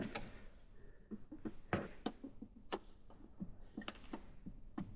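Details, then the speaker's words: Ford Capri with 5-litre Mercedes V8 swap, engine off, drivetrain rocked by hand: irregular light plastic ticks and taps; previously shaved plastic trim hitting the new gearbox mount after settling, cured by cutting the plastic away. "and this tight shaven bit of plastic here, which I had to shave off previously, has now got a bit close and it's hitting the new mount, making that noise."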